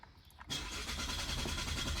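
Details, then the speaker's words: 2022 Chevy Malibu 1.5T with about 65,000 miles, which stopped starting the day before (fuel rail pressure earlier read 57 psi): the starter cranks at a steady rhythm but the engine never catches or fires. Crank, no start. "As you can see, nothing. Nothing at all. Let's try it one more time. Nothing."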